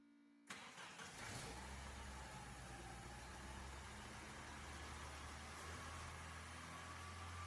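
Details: 1987 Dodge Dakota shop truck, carbureted with manual choke, electric fuel pump clipped to the battery: quick crank, then catches and settles into a steady, even idle with no stumbling, starting cleanly from cold.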